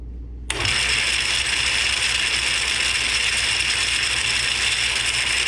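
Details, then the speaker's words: Atlas 10F lathe with a QC42 gearbox, with shafts worn by as much as 30 thou. It is quiet in neutral, then gives a loud, harsh gear clatter and whirr when the change gears engage with the gearbox out: a worn, sloppy gear train that threads poorly. "Gears are pretty bad. They make a lot of noise and they don't don't like to thread currently."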